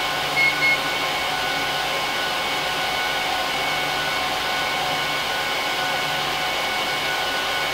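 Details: HP ProLiant DL380p Gen8 server (24×4GB DIMMs, eight 300GB 10,000 rpm drives in RAID 5, both PSUs, no cards) during POST: loud, steady rushing hiss from fans at full speed, no rattle or pulsing; normal before they ramp down at idle.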